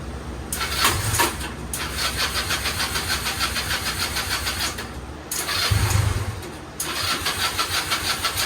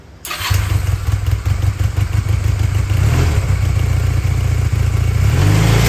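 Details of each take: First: Restored go-kart small engine on first start after rewiring and fresh fuel; catches after cranking, then stumbles and surges unevenly, dropping out twice; owner suspects the carburetor is running rich after a loud pop while starting. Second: yes all right guys so the go-kart works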